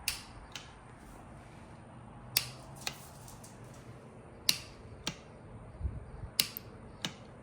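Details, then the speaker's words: Motorcycle with new wiring harness fitted; owner suspects fried starter, possibly jammed; sharp single clicks every second or two, no cranking or motor spin; starter clicking, no crank, cause unconfirmed. "Pretty sure the starter is fried, but I'm gonna take it off to see. I'm pretty sure it's just gonna click right now though."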